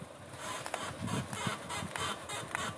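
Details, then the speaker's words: Lada Granta, 120,000 km, after a bad road: rhythmic creaking squeaks from the front suspension when turning the wheel and over bumps, caused by a worn ball joint; quiet after ball joint replacement. "оказалось так шумит шаровая вот купила новую шаровую сегодня вечером будем менять"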